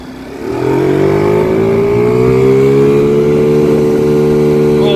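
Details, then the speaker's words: Chinese 50cc ScootSled scooter engine after CVT tuning to three 6.5 g variator rollers, riding; pulls hard as the power band kicks in. Note climbs quickly then holds a strong steady high pitch; normal strong acceleration. "it's like it's like it just kicked in and starts to pull really hard that is the power band coming on there we go this thing's a rocket ship now"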